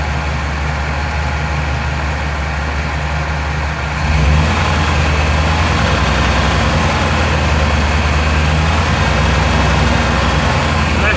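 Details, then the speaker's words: 2000 Chevy Tahoe LT 5.7L V8 after distributor replacement for a crank-no-start (out-of-time distributor, shaved gears), final cam retard check at 1000+ rpm: steady idle lifts slightly around four seconds, then holds even with no misses or stumbles; healthy fast idle. "be a happy uh pcm as long as that degree is at zero plus or minus two degrees"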